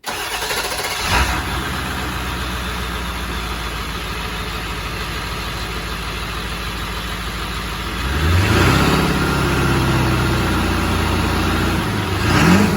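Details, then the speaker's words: 1998 Ford E-350 4x4 van, 7.3 diesel with turbo, 4-inch downpipe and straight-pipe exhaust, just after exhaust build: cold start cranks and catches fast, deep steady idle, one clean rev; healthy, loud open exhaust. "The video of the startup was a couple of months ago. It was right after I finished building the exhaust system, which I think sounds pretty decent."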